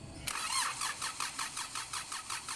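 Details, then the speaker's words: 2009 Kia Sorento CRDi diesel after fuel pump checks and failed code clearing: the starter cranks evenly at about 5–6 beats a second with no firing. Cranks but won't start; the suction control valve is suspected. "sinubukan din nating paandarin pero wala ayaw pa rin umaandar"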